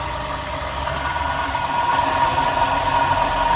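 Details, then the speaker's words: Customer's Jeep idling with a steady rough growl and faint whirring; an alternator was replaced on a misdiagnosis, but the growl points to a worn water pump bearing; belt to be removed and accessories spun to confirm. "I don't feel growling coming from this thing. I can sense it's coming from here. Somebody misdiagnosed this car."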